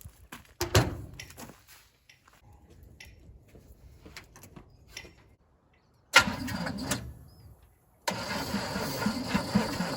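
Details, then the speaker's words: Abandoned 1977 Chevy Silverado V8, sat 4–5 years after a fire, carburetor cleaned, fresh battery dropped in: starter turns it over in steady bursts but it never catches; fuel pump works, cause not yet found. "Well, turns over. Hopefully the battery's just about dead."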